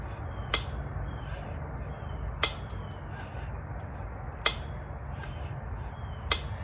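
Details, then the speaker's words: 2002 Polaris Magnum/Sportsman 500 with smoking and knock, gas tank and clutch cover removed: crisp single ticks as the clutch is rocked by hand; owner suspects the knock comes from the top end cover. "you rotate the clutch forward and back you can hear it ticking so i'm thinking maybe the knocking sound is from that top end cover"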